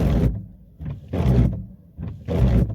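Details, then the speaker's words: Wiper blade groans and judders in loud bursts on each sweep, about one a second, even when wet with water; rubber set from the blade sticking to the glass, hardened rubber causing chatter. "o grande problema é na verdade não é um problema a paleta quando ela fica a grudada no vidro ela acaba viciando borracha"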